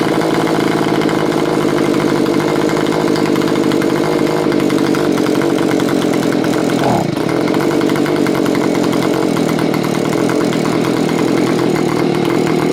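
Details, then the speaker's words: Curb-find Stihl BG55 leaf blower after lengthy carburetor mixture adjustment, screws set three turns out on low and two out on high: small two-stroke holds a steady buzzing idle with an even beat and no hunting or stalling. It idles normally. "after I have it seems to be running like a top tried a few more times and just make sure everything's okay"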